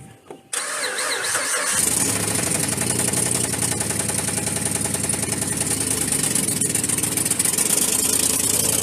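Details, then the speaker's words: Worn V8 pickup, from a 2011 Ram 1500 and 1975 Ford F-150 pair, with cylinders 6, 7 and 8 misfiring, no rod knock heard, wiped-out cam suspected: ragged, clattery, unhappy idle; engine later failed, needing replacement. "It ain't happy, but it's running."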